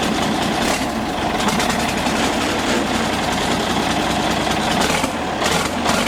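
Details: Galion T500 motor grader diesel, sat 14+ years since 2007, revived after fuel turned back on: steady running with an even low clatter, no misfire or hunting; caught and running right.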